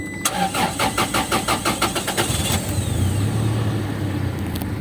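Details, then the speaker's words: 2013 Toyota Fortuner just after a DIY fuel filter replacement: starter cranks in quick even pulses, catches after about two seconds and settles into a smooth, steady idle; no abnormal noise. "So, silent. Pakinggan natin dito. Patayin ko muna yung AC. So good, wala namang ingay."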